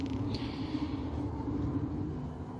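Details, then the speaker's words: Home-built CO2 laser cutter, running a job after homing: steady motor hum with a loose, uneven rattling clatter as the gantry moves; attributed to lenses and mirrors not yet installed. "Slight rattle you can hear is because I haven't got the lenses in yet and the mirrors are rather, so I'm getting that rattling noise."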